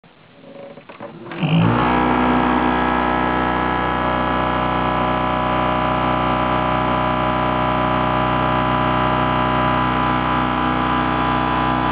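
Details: PC starting up with the case open: loud steady droning rumble from a CPU fan missing a blade and wobbling unbalanced, the noise fading after about 20 seconds.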